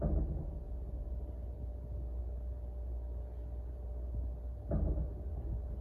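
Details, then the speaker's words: Walk-in cooler after new controller fitted, running in cooling mode at 34–39 °F setpoint: low rumbling hum with two heavy thumps five seconds apart from the single-fan evaporator; evaporator fan blade hitting ice. "you hear that that thumping is coming from the evaporator"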